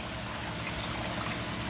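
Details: Ninja spin dryer (no electronics) spinning with the Panda unit switched off: a faint steady motor hum sits under louder trickling and dripping water, and the dripping is louder than the dryer. It spins quietly and normally.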